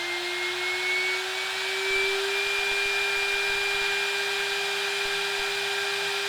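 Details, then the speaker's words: DIY CNC router spindle on its inverter, cranked up from about 80 Hz: a steady high whine holding one pitch with a slight rise, smooth and even with no knocks or rattles. The spindle runs cleanly. "we can turn this up that's about 80 HZ there so that's uh fairly fast but nowhere near the full speed so let's just crank it and see how fast it"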